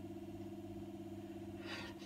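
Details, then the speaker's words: 1960s Revox G36 MK III reel-to-reel tape recorder, motor unused since about the 1970s and freshly lubricated at the bottom bearing: low, even mains hum with no scraping or rumble; motor running quietly and smoothly. "Oh, it's quiet in there. That's how it should"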